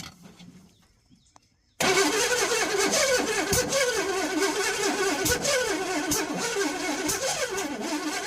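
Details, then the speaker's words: Burned 1968 Pontiac GTO being revived, cranking. The starter cranks unevenly as the engine kicks back and lurches in irregular bursts. Ignition timing set too far advanced, bucking the starter. "that's too advanced bucking the starter I don't think we're close"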